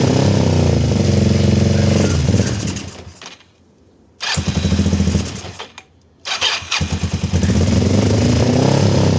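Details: Kawasaki ER-5 motorcycle unused for 2–3 years, carburetors just refitted with new inlet O-rings: runs ragged, drops to near silence twice and picks up with stuttering firing; cause unconfirmed.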